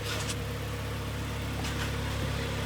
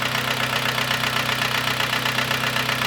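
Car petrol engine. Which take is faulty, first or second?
second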